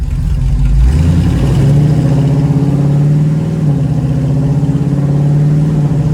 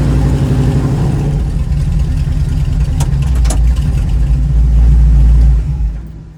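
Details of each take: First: 1936 Chevy coupe with SBC 350 V8 and TH350 automatic, accelerating from a standstill: engine note climbs and drops through three clean upshifts, first, second and third; shifting normally. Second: 1936 Chevy coupe with SBC 350 V8 and TH350 automatic. The V8 climbs to a loud, busy roar and keeps revving high after the shift into third. Owner suspects a gearbox fault or very low rear diff gearing.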